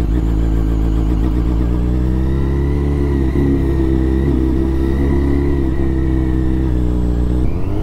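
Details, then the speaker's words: Supercharged Yamaha FZ1 on its first test ride with a custom tune: steady engine drone with a fluttering chatter under held throttle; compressor surge flutter, no anti-surge valve fitted, and RPM noted running away. "You can really hear the turbo flutter, or supercharged flutter. The other one didn't do it this much."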